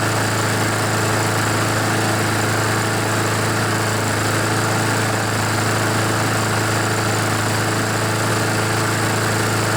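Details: Honda GCV engine on a Poulan mower with oil in the air filter and muffler; still on choke and not fully warmed, smoking as oil burns off: steady even drone at constant pitch with no stumbles or surging; running normally.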